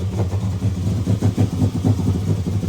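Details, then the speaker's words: Car brought in for running poorly; low drone surging and sagging unevenly; O2 sensor, replaced a couple months ago, suspected again, possibly from moisture, MAP sensor also mentioned. "We had this cool car show up. That thing, huh? Not run too good. That's why it's here."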